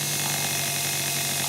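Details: Test motor on a repaired Miller 180K welder field current regulator board, PWM controlled, about 1.2–1.3 A, a poor load needing high startup current: steady hissy whir with low even hum, no surging or catching; runs smoothly.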